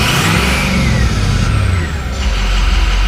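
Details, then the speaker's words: 2006 Ford F250 6.0 Powerstroke diesel, warm, blipped throttle; deep rumble rises smoothly and settles evenly, no knocks or misses. Owner says it runs perfectly, only issue a long crank on cold start: normal revving. "I mean, the car runs perfectly fine. Yeah, my only issue right now is just that cold start."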